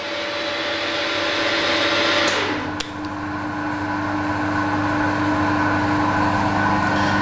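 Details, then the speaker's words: Combination milling machine's 3-phase induction motor after rotor bearing replacement, recorded on a lapel mic with the horizontal spindle running at about 78-79 dB: a steady, clean hum with no rumble or grinding. It is much improved over before. "and you'll be able to pick up the sound on my lapel microphone here of the horizontal spindle running and it's a may i say it's a big improvement on what it was"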